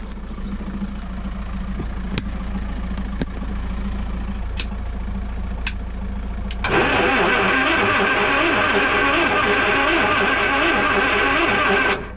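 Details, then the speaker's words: Land Rover 2.25 petrol, refurbished Zenith carb, new distributor, coil, HT leads, solenoid, fuel lift pump and starter, stood over winter: steady starter churning about five seconds, no firing; crank no start, no fuel coming through. "There's your answer. We're not getting fuel coming through. No fuel coming through."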